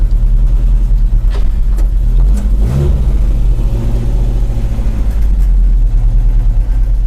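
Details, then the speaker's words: Volvo 145 at its MOT test, running well: deep, even engine drone with one clean rev blip and smooth return to idle, no misfire; owner says it runs like a cat and likes the sound; normal running. "oh yes it's running like a cat uh you can you really can hear the the waers I like the sound and uh it's running okay"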